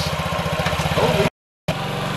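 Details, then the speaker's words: 2017 Honda Ruckus NPS50 50cc four-stroke scooter idling at almost 3,000 rpm per an inductive spark-plug-wire tachometer; rapid, even putter with no dip or hunting, far too fast; idle speed set too high. "is my idle speed it's obviously way too high this is why attack Elementary is so important because I never would have known it was actually almost 3 000 RPMs idly no no which is insanely high"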